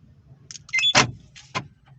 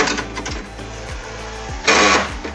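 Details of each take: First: Volkswagen Voyage central locking motor after repair (door panel reassembled; previously noisy and sometimes not unlocking): two crisp lock clunks with a brief motor whir, no grinding, now normal. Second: Volkswagen Voyage central locking door actuator, an aftermarket universal motor spliced in after the original broke, buzzes with repeated rattles and one louder clattering burst; sometimes fails to unlock; the motor was found cracked and was replaced with a new one.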